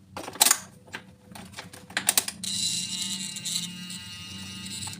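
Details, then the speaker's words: Yamaha NMAX new model that won't start, in-tank fuel pump silent at key-on; substitute external fuel pump tested: couple of clicks then steady high whirring hum at key-on; test pump runs normally, original pump or its wiring/socket faulty. "Oke sekarang kita pakai p PAM yang ini ya kita pasang seperti ini kunci kita on hidup Ya ppam ini hidup ya pulpam ini"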